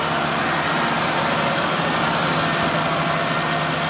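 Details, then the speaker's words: 2004 Nissan Frontier VG33E V6, 183,117 miles, cold start idling a little above 1000 rpm: even hum with no clicking; lifter noise absent when cold, appears as clearances grow once hot. "so we could see our temperature is still cold and the rpm is a little above 1000 we do not have that clicking noise"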